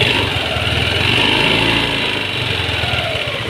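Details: Yamaha Aerox V1 scooter at 81,000 km with no maintenance, oil found empty, running loud and harsh with a clattering knock and gritty grinding rasp inside; engine knock and internal wear from oil starvation.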